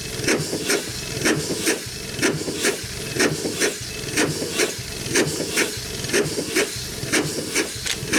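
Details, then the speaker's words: Over-100-year-old Chicago Pneumatic steam engine/air compressor, first run in decades after long storage, compressor head off: slow even chuffing with sharp hissy bursts each stroke; runs steadily but steam leaks from worn packings, which need replacing and adjusting. "okay folks running good welfare I guess it's uh good as we could ask for except as long as it did gonna need some packings and uh probably just some package adjusted and stuff too"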